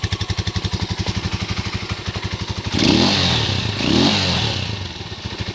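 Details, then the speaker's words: 2018 Serpento Taypan 200cc single-cylinder motorcycle, about 500 km, idling about 500 rpm (tach misreads 1200): even regular thump, two clean quick throttle blips settling straight back to steady idle; healthy. "This tach also seems to lie. This motor is idling about 500 RPM. It's showing 1200 RPM."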